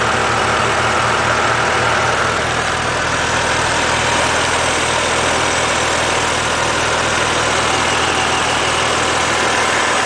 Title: BMW Z4 3.0si engine hissing noise